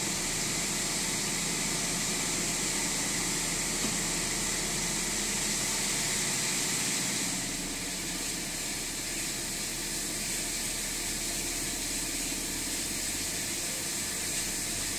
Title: Rough idle